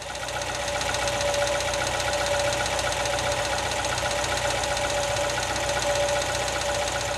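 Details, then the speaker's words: Engine heard idling from above: steady light metallic knock about four per second, diagnosed as worn wrist pins; also compared at 2000 RPM and from underneath. "I've listened while at idle then revved it up I'd say it's a wrist pin nut matter of fact I'd stake my Ri"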